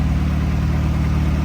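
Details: Honda Civic EG hatch with freshly swapped B18 engine idling in the shop, new oil pan gasket, before running through the gears; smooth, even low rumble with no knocks, ticks or misses, a steady healthy idle.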